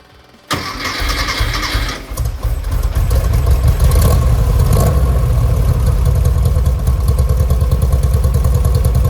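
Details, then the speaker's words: 1970 VW Westfalia after engine-bay upgrades, new Weber 40 carburetors and a tightened belt. Fires after a short crank, stumbles once, then settles into a strong, even idle, with 50 psi oil pressure and 4 psi fuel pressure: healthy. "sounds really, really good. Those 40s are working really good."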